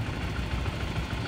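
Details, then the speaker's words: Modenas ZGT (Z15GT) standard motorcycle, low mileage, idling, same with clutch pulled: light rapid tick over exhaust thump, seemingly from cylinder head/top end; owner suspects connecting rod or piston bearing. "Bunyi dia macam dekat head. Aa bunyi dia macam dekat daripada top set."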